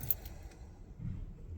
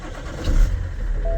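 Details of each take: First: BMW E60 530d diesel, next day after a flat battery was recharged: keys rattle, chime, starter cranks steadily about four seconds but never fires, as if no fuel; diagnostic tool cannot reach the engine ECU; later traced to faulty IBS battery sensor. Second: BMW E60 530d diesel with the IBS battery sensor's small cable unplugged as a test: short crank, fires at once and settles to steady low idle with faint chime; starts normally, confirming the IBS sensor is faulty.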